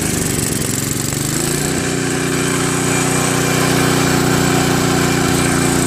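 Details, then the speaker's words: Craftsman 522 snowblower with Tecumseh engine, sat for years: engine runs rough on full choke, then steadier at 3/4 choke. It stalls with choke at middle and falters when throttled up; dirty carburetor starving fuel off choke. "Once the choke is placed in the middle, it stalls out. It only runs on 3/4 choke. I mean, it runs well on 3/4 choke."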